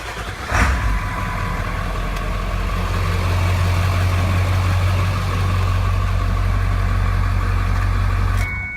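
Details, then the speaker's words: 2000 Ford F-250 Super Duty 7.3L diesel: starter turns briefly, engine catches at once and settles into a steady, even low idle rumble; normal healthy start. "Starts up great, runs just as nice as it looks."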